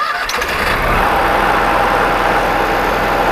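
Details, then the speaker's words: New self-contained generator for a GMC motorhome, with its built-in rubber-isolated exhaust and muffler, run with the casing off and no extra exhaust: a short cranking burst catches into a steady, even hum with a faint whine. Normal quiet start and idle. "It's a very quiet generator. I'm gonna run it here in a second. You'll hear what it sounds like without any extra exhaust or anything installed."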